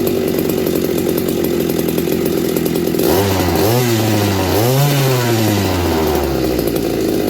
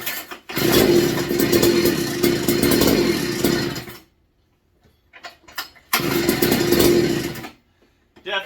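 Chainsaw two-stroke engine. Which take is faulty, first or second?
second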